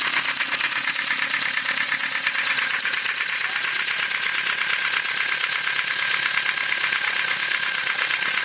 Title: стук двигателя форд фокус 2